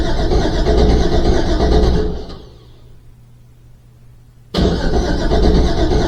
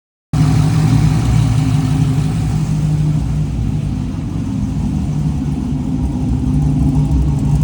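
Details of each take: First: Rebuilt Trans Am cranking with no fuel or spark, charged battery, decent cranking speed, occasional cranking error; crank sensor replaced and cam sensor swapped with no change: steady cranking that never catches; cause unknown. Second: Trans Am V8 first running after rebuild and refresh begun October 2022: deep, lumpy burble at idle that dips, then swells as revs climb and settle, no knocks; sounds healthy.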